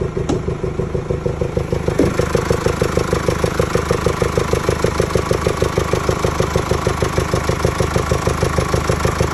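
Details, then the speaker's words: 2017 Mercedes E220 diesel, OM654 engine, at idle: steady, even pulsing clatter about three times a second under a deep blowing note from the intake area; failed rocker roller bearings have damaged the camshaft lobes; fix is replacing camshafts, rockers and tappets. "As you heard in the video, it is like a deep blowing noise coming from the air intake system. The cause of this noise is the rockers on the valves failing and damaging the cam shaft loes."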